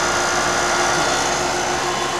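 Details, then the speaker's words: York fixed-orifice heat pump after recharging 3 lb 6 oz of refrigerant into a dangerously low system: steady even hum, constant fan rush and smooth compressor tone, no cycling or rattles; running properly. "Hopefully you can hear the way this thing sounds now. Sounds a lot different. Sounds like it's actually working."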